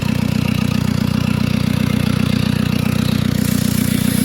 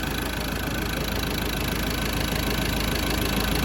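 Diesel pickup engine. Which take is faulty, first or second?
first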